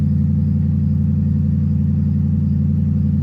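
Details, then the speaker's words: Ford Crown Victoria starting after stranding at a gas station and reconnecting a connection: smooth steady low idle with even beat, nothing rattling or ticking; starts powerfully and sounds healthy. "wow that starts really powerfully too holy crap"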